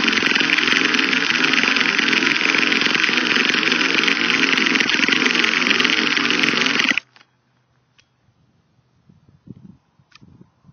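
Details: Used Traxxas T-Maxx 2.5 nitro RC car: high buzzing starter spins the engine seven seconds without firing, then stops; slight smoke from the starter motor; cranks but won't start, cause unknown.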